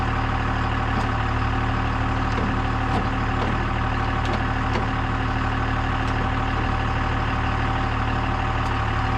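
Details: CMP truck engine running again after distributor timing adjustment, first run in a long time and not yet warmed: steady low idle with light taps, less ticky than before, holding idle fine.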